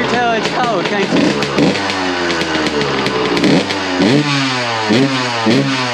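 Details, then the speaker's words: 2001 Suzuki RM125 after repacking the exhaust silencer: crisp two-stroke blips rising and falling cleanly with no rattle or bog, and it now tries to idle, which it didn't before; healthy revving. "man that sounds a lot better sounds ten times better he's trying to idle too now what the heck it didn't idle before"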